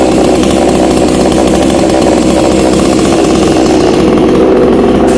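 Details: Black Bull B-CS152 TOP 6000 chainsaw (45.2 mm piston, longer connecting rod, new air filter) on two-stroke mixed fuel, started with choke: loud, steady high-revving buzz at an even pitch with no misses or rattles. Running cleanly.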